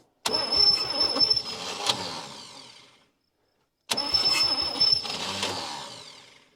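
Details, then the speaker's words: 1959 Chevy Biscayne 6-cylinder, freed after being locked up through about 20 years of storage, cranked with points on and gas poured in: two short cranking bursts fading as the starter spins free instead of turning the engine. Starter kicking out, no start. "that ain't good starter is kicking out"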